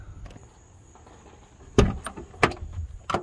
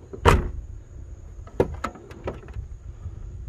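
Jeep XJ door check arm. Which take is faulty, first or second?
first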